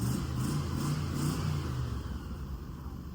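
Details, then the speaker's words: 1963 Chevy C10 small-block V8 idling after muffler installed (previously open manifolds, very loud in cab): deep, even low burble, quietly muffled, free of rattles or leaks; sounds good. "Well, now it's quiet. Um, that sounds actually really, really, really good. I like how it sounds."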